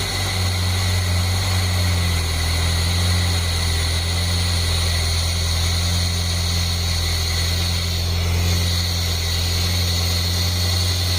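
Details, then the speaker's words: 1989 Chevy S10 pickup, 2.5 four-cylinder, just revived with fresh battery, air cleaner off: steady, even idle with loud open-intake roar, no knocks or misses; engine runs fine. "fired right up. It's pretty noisy cuz I don't have the air cleaner on there."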